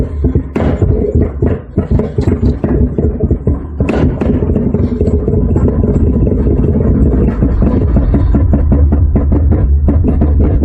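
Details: 1991 Acura Integra LS 1.8L, 340,000 miles on original engine: petrol engine idling with a deep, uneven lope, low pulses stumbling irregularly; rough idle.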